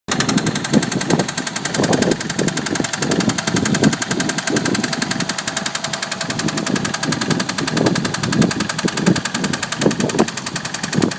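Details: Toyota MX83 Cressida petrol engine idling with a fast steady knocking through its note and occasional heavier thumps: engine knock.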